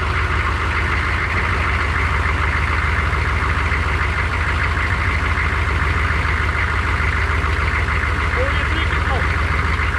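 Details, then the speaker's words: GM 6.5 turbo diesel (1994–95), first start after an oil pipe came off and it ran without oil for a while: steady idle clatter with a faint repeating knock; owner suspects the upper engine, doubts the bottom end. No oil leaks. "I actually hear a knock that I don't like. It sounds like it's up in the engine and I doubt it."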